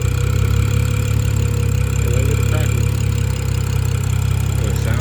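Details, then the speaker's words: BMW F10 535i idling after an eccentric shaft repair; the owner suspects a valve cover gasket leak. Smooth, even idle with a steady low drone and no ticking, misfire or stumbles; the engine is running healthy. "It sounds good. Everything good. We in the game, man, for now."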